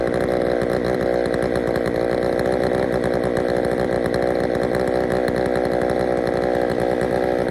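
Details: Poulan 3000 chainsaw after service (fresh fuel, air filter cleaned), previously reported not starting: steady even high buzz at constant speed, no bogging, surging or misfiring; running healthy.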